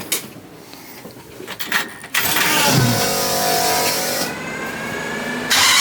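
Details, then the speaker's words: LS-swapped Galaxie with 5.3 V8 and open pipes catches and revs, with a definite clacking each time the throttle opens; the 5.3 is believed hurt internally. "And there is a definite clack clack clack clack clack clack clack sound anytime you give it a little bit of gas."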